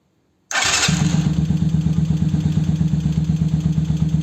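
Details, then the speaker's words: 125Z motorcycle after fitting a new starter motor (old one had burnt brushes and dragged slowly): brisk crank catching almost at once into an even, steady single-cylinder idle, no more cracking noise; normal starting. "Ya no se oye el cuando le daba uno la marcha. Ya no se escucha y aparte pues ya arranca más rápido."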